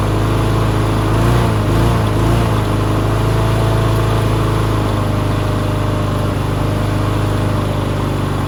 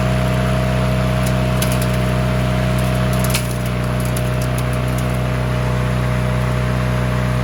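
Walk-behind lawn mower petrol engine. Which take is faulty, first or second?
first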